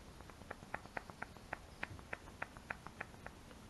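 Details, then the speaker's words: Peugeot 406 Coupe front upright ball joint, worked by hand during front subframe disassembly: sharp, dry squeaky clicks about four per second from a bone-dry, worn ball joint, due to be replaced with a new one. "you could hear the noise. It's bone dry like."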